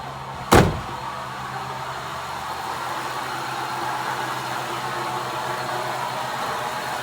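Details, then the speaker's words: 2003 Ford F-150, 298k miles, after replacing belt tensioner and idler pulley: steady idle with a faint constant whir from the belt area; same noise persists, owner now suspects the AC compressor. "so I started up I had that same noise so the only thing left that's sounds like could be the air compress the AC compressor down there at the very bottom"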